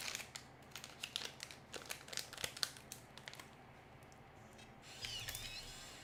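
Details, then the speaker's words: Serviced Macintosh floppy drive in an LC475: crisp irregular ticks and light chatter as the disk seats and the head steps, no grinding or squeal; healthy after repair, though one gear part still needs lubricating. "nice that sounds good well now i know one more little bit of uh part of the gear that i need to lubricate properly"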